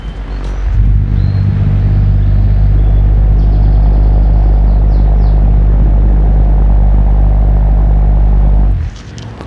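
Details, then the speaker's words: Sekai HFN 1210 industrial fan on speed 1 (lowest), mic held close, room 28.7°C dropping to 28.6: steady low hum with even whooshing airflow, no rattles or scraping; normal running at low speed. "Oke, sekarang kita tes di kecepatan nomor 1 dulu ya. Nah, ini dia kecepatan nomor 1. Kita akan dengar suaranya, mic-nya akan didekatkan."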